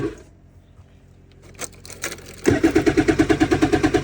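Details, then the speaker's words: 2026 MxZ Neo+ at -6°F, usually hard to start below zero: quick, regular starter pulses about three per second, never catching; cranking without starting. "See if this thing will start up this morning. Usually has a hard time below zero."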